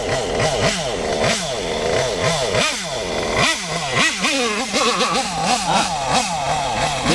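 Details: Kyosho MP9 nitro buggy engine: crisp, slightly raspy high-pitched two-stroke buzz rising and falling cleanly with each throttle blip, no bogging. A correctly tuned nitro engine, just before the high-speed needle is taken too lean.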